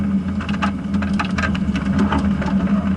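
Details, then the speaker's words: Car with 3-speed automatic, back in second gear after a downshift to first at about 35 mph: low even drone at modest revs with soft road rumble; normal relaxed low-rpm cruise. "And it's back to being casual. So basically, if you want to determine how fast your car can go in each gear, that's a good way to do it."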